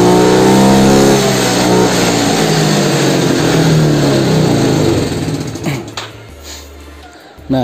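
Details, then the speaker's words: Yamaha Mio scooter with air filter not fitted: revs still swing up and down about four times a second from low through mid to high rpm instead of holding, as unfiltered extra air makes the carburetor mixture lean; surging idle. "disini masih agak sedikit mengayun ya dari RPM bahwa sampai RPM Tengah dan juga ke atas berhubung disini itu filternya enggak ada ya teman-teman ya jadi angin yang masuk ke karbu itu terlalu banyak sehingga campuran antara bensin dan juga angin itulah enggak seirama gitulah guys"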